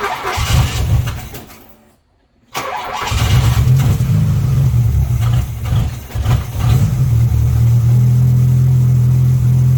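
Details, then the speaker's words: MK1 VW Rabbit with Weber 32/36 carburetor, no choke hooked up: engine cranks, catches and settles into a fast, steady drone that stays raised; idle set too high while the idle screw is adjusted. "sounds all right so what i'm doing here is i'm messing with the screw this one right here and right now it's suddenly high so you're gonna push it this way"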